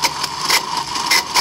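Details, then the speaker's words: Bench test of a 1995 Mercedes S320 non-ASR throttle body (part 0001415725) before repair: steady high electric buzz with short hissing screech bursts as the unit sits semi-energized with vacuum drawn; cause is deteriorating wiring and failed internal clutch coil. "being that you have vacuum being drawn we have the screeching noise this is pretty amazing stuff because usually it doesn't work like this but in this case somehow it got into this very bizarre mode where it's semi-energized so this is very very strange but it is the definitely a clutch coil issue"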